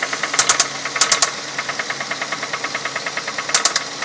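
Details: 2006 Ford Fusion four-cylinder, 80,000 miles: sharp metallic clicks over a quiet idle, often in quick groups of three, about ninety a minute; owner wonders if it is valves or the timing belt slapping, felt at one spot; engine ticking/knocking, unconfirmed.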